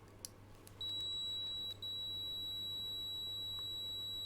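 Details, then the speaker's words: Triumph Bonneville T100SE with rough running: multimeter continuity beep, steady high tone with a brief dropout, on pink-and-black middle pin to ECU pin B20; continuity good, harness pin fine. "We're all good. So we got continuity to that end. So there we have it. That pin's out absolutely fine."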